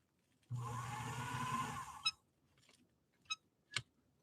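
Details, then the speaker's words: Swedish sewing machine from England run at 230 V through a step-up converter, motor already tested good by bypass: motor whirs for about 1.5 seconds then stops, leaving clicks; intermittent foot controller connection. "did you hear you hear the motor fire up initially now i'm getting nothing so this tells me the foot controller responded at least temporarily it powered up the motor"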